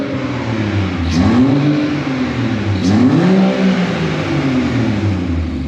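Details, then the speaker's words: BMW 114i converted to M140i engine, first running after swap with air pockets in the coolant; engine revs up and down smoothly through clean blips, no knocks or rattles; normal revving. "so I'll top it back up but the engine sounds really healthy it sounds really good have a listen to"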